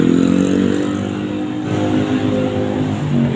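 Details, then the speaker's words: LG 15 kg washing machine after replacing the worn inner drum bearing that made a loud rough spin noise: smooth, steady hum at spin above 1000 rpm with no rumble or grinding; repair successful. "udah halus nih. Suaranya udah enggak ada ya. Ini udah menit keen RPM sudah di atas 1000."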